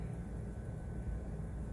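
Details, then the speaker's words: Rooftop HVAC unit indoor fan assembly, after work on it: low rough rumble with uneven droning grind beneath airflow; bad fan bearings, likely both need replacing. "i'm gonna fire it up and see what it looks like doesn't sound too good [Music] sounds like a bad bearing"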